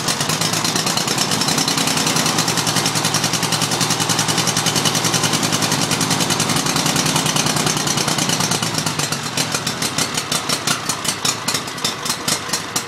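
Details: Mower that is hard to start and smokes: the small engine runs unevenly, then stumbles into separate sputtering pops as it slows; rough running, cause not clear.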